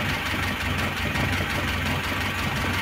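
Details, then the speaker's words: Carburetted engine, fully warmed, steady idle with a light, rapid ticking knock on top; large camshaft play, oil pressure lamp flickers when hot; owner thinks mostly camshaft, heavily worn camshaft and bed. "так думаю что изза распредвала По большей части такой ступ это очень большой сту для распредвала услышите"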